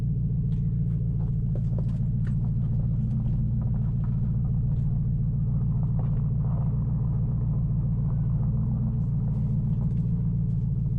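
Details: 2005 Nissan Titan V8 after Walbro fuel pump rebuild and new starter, muffler removed: deep even open-exhaust rumble, steady beat, no misses or stumbles; seemingly running better than before.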